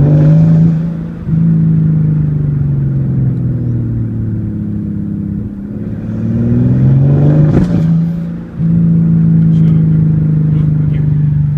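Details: Mercedes S600 under heavy load and high boost: revs rise unevenly with stumbles and a sharp pop; extreme misfire, while idle and low-boost part throttle run fine.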